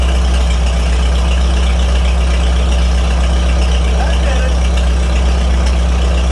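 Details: 1949 Farmall H tractor after fitting new spark plugs for poor running: steady low four-cylinder idle with an even, unhurried beat, no misses and no tapping up top; runs right now.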